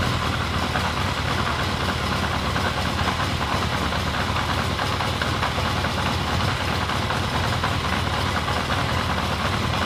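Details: 1979 Honda CB750 four-cylinder at idle after carb clean and bench sync, fuel bottle-fed: busy, lumpy, uneven idle; vacuum gauges show carburetors out of sync and needing matching to the master carb.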